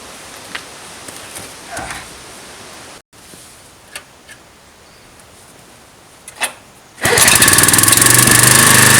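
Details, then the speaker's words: Briggs & Stratton vertical-shaft (lawnmower-type) engine on a generator salvaged from the tip, 40-odd years old: quiet, then fires and settles into a steady, even run with no knocks or misses; working fine. "đó là động cơ Briggs và Straton điển hình của bạn và nó hoạt động tốt sau 40 năm lẻ"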